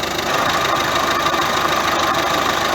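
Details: Ford C-Max 1.6 diesel in gear under throttle: steady high whine over the diesel drone; gearbox differential bearing worn, transmission to be removed for overhaul.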